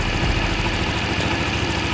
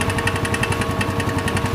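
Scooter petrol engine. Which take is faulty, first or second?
second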